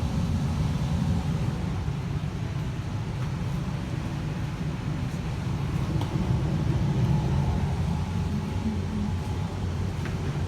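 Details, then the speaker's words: 2020 Evcon (rebranded Coleman) 65,000 BTU low-NOx gas furnace just shut off at the thermostat: burners out, even low blower hum with no rattles or scrapes as the heat exchanger cools before the fan cuts off; normal post-purge. "so i just turned it off at the thermostat as you can hear the burners turned off and now the heat exchanger is cooling down and the fan will turn off very soon hey"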